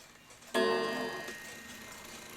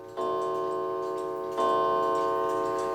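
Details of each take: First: New England Calendar Clock No. 2710, dirty and not fully wound, striking the hour: a sharp strike that decays in a rattly jangle instead of ringing cleanly. The gong is out of adjustment and needs fixing. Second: New England Calendar Clock No. 2710, after adjusting a gong that had fallen too far: two clean gong strikes, each with a clear, evenly decaying ring and no buzz or rattle, not too loud. The gong is sounding properly.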